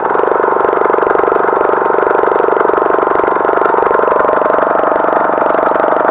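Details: Craftsman lawn tractor with a Briggs & Stratton engine and Nikki carburetor, after carburetor cleaning, new float bowl gasket and reconnecting the anti-backfire fuel solenoid fixed a no-start; smooth, even, steady buzz with no surging, popping or misfires: normal running.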